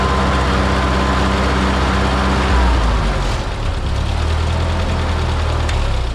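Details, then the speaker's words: 1952 Ford 8N tractor, old four-cylinder with gravity-fed fuel, after replacing the carburetor to cure stalling at idle and under load: low, even, steady beat with no stumbling. It ran about 20 minutes in the field without dying. Normal running. "Just went and ran this for about 20 minutes out in the field. Didn't die on me one time, which the old car it absolutely would have."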